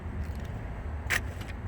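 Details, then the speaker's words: 2002-2006 Nissan Altima rear door, after replacing the faulty power lock actuator: unlocking gives a quick, clean clunk over low background rumble, with none of the earlier loud buzzing. "So I'm gonna unlock. See? Works perfectly now. No more crazy buzzing."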